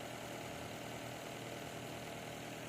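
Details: Nissan Altima 2.5L hybrid in inspection mode after replacing the failed cylinder 3 ignition coil (P0303 misfire): petrol engine idles smoothly and evenly, all cylinders firing, codes cleared.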